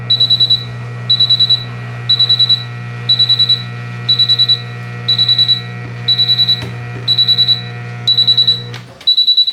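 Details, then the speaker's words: Miele W1623 Novotronic washer on normal cycle fills with water but drum stays silent, not spinning; bursts of high beeps about once a second over a low hum before F53 error: motor fault, worn carbon brushes. "so at this moment the washer should be spinning it's not a spinning it's silent I hear that"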